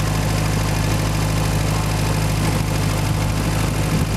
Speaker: there's a starter we're under way 60 pounds of oil pressure cruising it 1500 rpm